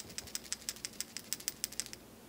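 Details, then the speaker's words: 1995 Mitsubishi 3000GT with leaky oil cap, new PCV valve shaken by hand (old one silent, suspected gunked): crisp light clicks, about six a second for two seconds, check ball moving freely; normal PCV valve rattle. "we can hear it. So now what we're going to do is put this guy on, and that should solve this little oil problem."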